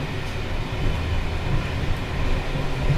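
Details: Czech Bd264 coach (built 1979) with Görlitz V bogies, many kilometres since last major maintenance, on uneven line 190 between Hluboká nad Vltavou and Číčenice: heavy uneven rumble with clattering over joints as loose brake rigging bounces; worn bogie noise.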